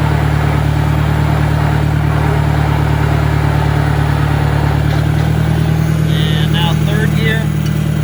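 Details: 1965 John Deere 1010 tractor at 1000 RPM in third gear: constant low gear drone under the engine note. Slightly quieter than first and second but still much noisier than a 1963.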